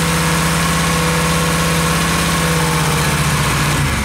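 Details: Suzuki Intruder 125 V-twin running with ignition module fed directly from battery positive by thick wire, fixing low-voltage hard start: steady even low hum, firm beat easing slightly at end; healthy idle.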